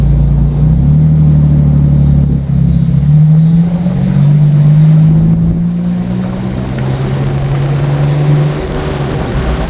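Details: 2007 Nissan Xterra after fan clutch replacement: while driving, a heavy, deep, droning roar rising and falling with engine speed, like an 18-wheeler. New fan clutch did not cure it; source still unidentified.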